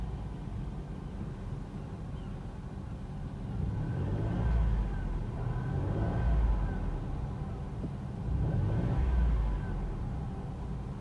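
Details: 2018 Toyota Aygo X-style VVT-i CVT: engine catches and settles into a low, even idle with a couple of gentle rises; smooth and steady, nothing knocking or rattling.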